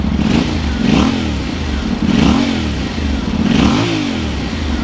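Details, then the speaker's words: 2025 Yamaha Tenere 700 with aftermarket slip-on exhaust: three clean throttle blips, each rising and falling smoothly with a deep even rumble and no knock; not very loud, sounds healthy. "All right, let's see what a,000 pounds slip-on exhaust sounds like. Okay, that's not mega loud, but that's a nice deep"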